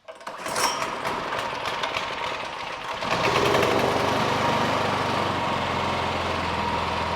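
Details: Craftsman 26-inch two-stage snow thrower, model 247.886941, Quiet Technology 270-QU engine, unused for years, after carburetor service: pull start catches at once, rough on choke, then steady even run; normal running.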